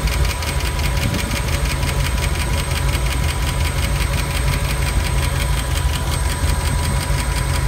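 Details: Ford 5.0 302 V8 in a Monster Miata, cold start the day after overheating on the turnpike: fast even ticking over steady idle tracking engine speed, seemingly from driver-side valve cover; faded when warm, slightly rough running; suspected valve train tick.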